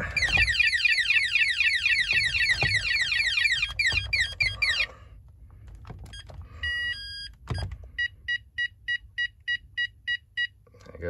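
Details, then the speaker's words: Texecom Veritas alarm panel won't arm: fast warbling tone then nine short even beeps indicating an open keypad tamper; refitting the keypad clears it. "go, there's your 9 beeps. Put the keypad back on nicely, and that vanishes."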